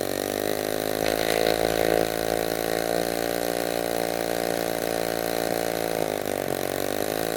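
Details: Restored 1946 Power Machinery chainsaw, made in Vancouver BC, first run after restoration: crisp steady two-stroke buzz holding even pitch at fast idle, no misses or rattles; normal running.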